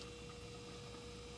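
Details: Jaguar S-Type fuel tank being drained by a borrowed Mercedes electric fuel pump wired straight to a battery: faint, steady hum with one constant tone and no surging or grinding; normal fuel pump operation.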